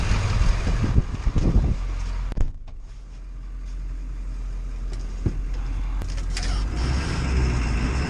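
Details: Ford 7.3L diesel after repairing no-start and blowing fuse 30 caused by internally shorted fuel heater: deep steady rumble at even speed, no misses or knocks; normal running.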